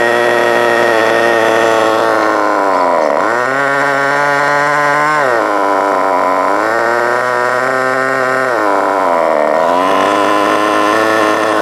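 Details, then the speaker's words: FTX Carnage 1/10 nitro truck, GO .18 engine, warm, after needle tuning and idle screw adjustment: high buzzy steady idle between short throttle blips, settling back each time without stalling. Normal idle. "Don't turn it too low, otherwise the engine will quit. Just enough so that it will sit there and sing by itself."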